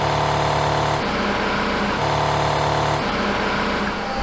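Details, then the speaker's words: Roughly 75-year-old Worthington 3-TTC air compressor running and building pressure: even steady pumping drone with smooth low hum, no knocks or rattles; still noisy but much quieter than the replaced Husky compressor; normal running. "I mean it's still noisy but it's not nearly as loud as my other one I mean I would normally be yelling into the camera right now and I'm just talking at a normal voice"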